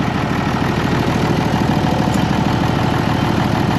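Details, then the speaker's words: Case 1175 tractor, parked 15 years, running again: even diesel idle with a steady low chug, about two pulses a second, a hint of turbo whistle and normal light haze; sounds smooth and healthy. Throttle cable sticky, so not revved. "Let's fire it up again and listen to it. Oh, it's just so smooth."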